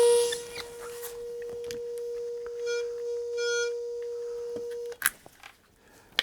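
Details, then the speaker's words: Comtek PR-216 receiver after repair by replacing the bad chip with a new 2986i regulator: with headphones plugged in, a clean, steady 1 kHz test tone from the transmitter holds about five seconds; reception is normal. "Let's plug in some headphones and see if I can hear that 1 kilohertz tone. I do."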